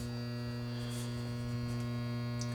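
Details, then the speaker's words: Samsung oven not heating properly: steady loud electrical hum with no fan whoosh as the convection fan motor is energized with the door lock switch pressed but stalled, not turning; blade then turned by screwdriver. "you can hear the hammer noise but the motor is not running"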